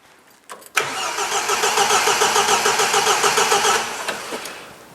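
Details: 1977 MGB after years off the road, with wiring loom fixed, fuel and spark present, good compression and old carbs refitted; steady cranking about three to four beats a second for three seconds, never catches; no start, distributor drive 180 degrees out.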